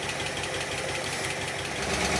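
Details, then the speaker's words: 1960s Bristol 408 barn find, Chrysler 5.2 V8: steady, even idle with a smooth low burble, no knocks or misses; running healthy. "that's lovely yes it is actually that is really lovely sound nice sorry does it sound nice it it sounds great actually"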